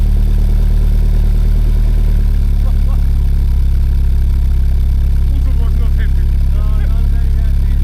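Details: Mazda MX-5 in Lapland at around -20 to -29°C, radiator fully covered: engine catches and settles into a steady, even low idle with no misses or knocks; normal cold idle.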